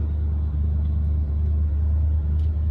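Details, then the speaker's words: 1965 Chevy El Camino with tubular aftermarket front control arms, disc brake conversion and skinny front tires, after modifications: only a low, even engine and road rumble at slow speed around a cul-de-sac, with no grinding. The earlier grinding when turning is gone. "we just went through a cul-de-sac by the way and i'm jibber jabber and i didn't get any grinding"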